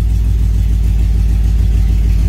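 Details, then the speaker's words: Truck with new Holley Sniper EFI throttle body, warm at 201 degrees, idling around 750 rpm, IAC position low so idle screw can't be raised further: deep, smooth, even low rumble with no misses or knocks; sounds good. "You know what I mean? I can't turn that screw and bring it up more. But she sounds good."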